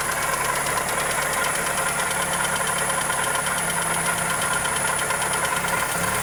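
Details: Toyota Corolla EE90 with 2E engine at idle: fast, even ticking over a steady idle with no speed changes; suspected valvetrain or connecting rod, cause unknown.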